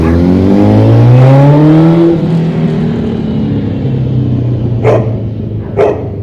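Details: 2005 Honda CBR1000RR after adjusting the balancer shaft: revs rise and fall back to a steady idle with the whistle gone; engine sounds healthy but slightly rough at idle, idle adjustment may need tweaking.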